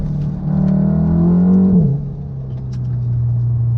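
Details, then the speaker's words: 500+ bhp Mk7 VW Golf R with newly fitted ECS Tuning engine mounts, microphone in the cabin while driving: a deep booming note that climbs with revs then settles, with heavy low vibration. Stiff mounts cause vibration and a deep exhaust drone. "The vibration is that, it's like, you can hear the vibration, but it changes the exhaust tone to like a really deep tone."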